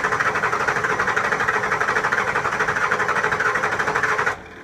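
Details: 7.3 Powerstroke diesel after injector O-ring replacement: the starter churns slowly and steadily, about ninety-odd turns a minute, for several seconds without catching. Long hard crank; the heads are thought to need to repressurize, which is not confirmed.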